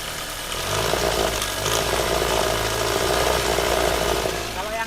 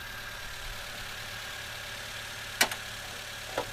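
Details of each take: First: Toyota Avanza idle before repair: rough, with a loose, clattery rattle and ticking riding over the engine. Caused by a worn timing chain tensioner plus excessive valve clearance; fixed by replacing the tensioner and lifters. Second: Toyota Avanza after repair of a rough, rattling engine with new tensioner and partly replaced lifters: quiet, even idle with a steady low hum and no top-end tapping or rattle; normal idle.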